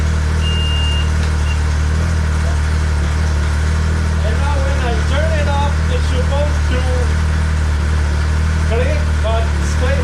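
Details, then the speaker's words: 2014 Arctic Cat CR 7000 snowmobile engine starts and settles into a smooth, steady idle with an even low drone and no grinding, after fixing starting-in-reverse by turning the motor (sticker-facing) 180 degrees to the correct position. "there you go guys that was the problem the motor was 180 degree on the wrong position"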